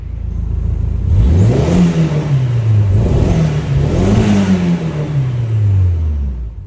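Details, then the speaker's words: K04-turbo-swapped Audi TT with no catalytic converters, first start after being put back together: it catches and sweeps smoothly up and down through several blips with no knocks, a little smoky; it runs normally. "That's a wrap on the Audi TT. It runs. It's a little smoky in here. This thing don't have cats on it."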